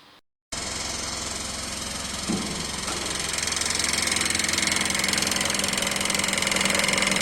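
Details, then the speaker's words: Mitsubishi Pajero 4 with 4M41 3.2 diesel at idle: steady hard metallic knock about two to three per second over diesel clatter, not in rod rhythm; found loose balance shaft bushing plus worn rod bearings. "Как мы видим, звук не в такт шатуна, не типичный шатунный звук."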